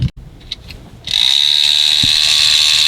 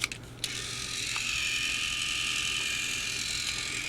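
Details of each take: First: 2009 Mattel Trackmaster Thomas toy train, first run on fresh batteries, starts with a loud, shrill, high-pitched motor whine and buzzy gear rattle: a noisy motor and gears. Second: Mattel Trackmaster Thomas-series motorized toy engine (Hank, 2009): after switch clicks, steady even high-pitched whir; very quiet, normal gear motor running.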